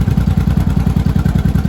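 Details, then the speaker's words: 1983 Honda Shadow V-twin barn find, warmed up with choke fully off after idle screw turned clockwise about a quarter turn: steady, loping idle with even low thumps, no misses or clatter; idle set right and smooth, aiming for about 1400 rpm. "That's actually idling pretty good. I think we're about warmed up, so I'm going to test that on the road."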